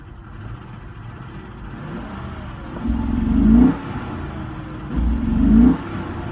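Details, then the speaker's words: Very rough, lumpy idle with two short revs, hood and whole engine visibly shaking; owner suspects fuel pump, others suggested O2 sensors, codes for evap and system too rich bank one; possibly water in tank. "you hear it you see the hood shakin Itron so rough it's shaking like the whole engine's moving back and forth real hard idols are rough"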